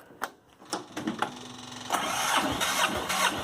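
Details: Late 80s/early 90s Yanmar YM122 garden tractor, 12 hp single-cylinder liquid-cooled diesel, 70°F cold start after glow plugs, decompression release unhooked: starter clicks, brief crank, catches into clattery but steady cold idle; healthy.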